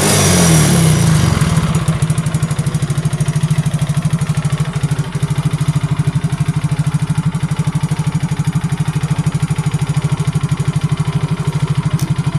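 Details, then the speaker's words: Yamaha Mio J fuel-injected single-cylinder scooter with lost compression from carbon-coated leaking valves, started after the fault was found: even, low steady idle with no misses or knocks, running smoothly. "Oke guys, ini motornya telah hidup. Berarti di sini kita telah memulihkan penyakitnya guys."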